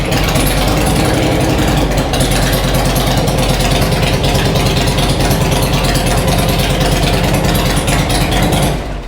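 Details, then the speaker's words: Harley-Davidson Road King first start after sitting a long time, with new cams it isn't tuned for: loud steady V-twin idle with an even lope, running a little rich, some smoke from oily parts; valvetrain quieting, sounds healthy. "remember this bike's not tuned for these cams so yeah sounds like he was running she was running a little Rich sh yeah yeah it hasn't run a long time"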